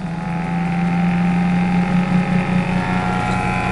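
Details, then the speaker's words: Flux gate generator motor, turned up to about 10 amps with LED lamp load; low steady hum wavering and pulsing unevenly, rotor turning very slowly, output flickering, smell of warm wiring, cause unclear. "as you can see the uh output is still very crappy still flickering running no Turtle speed"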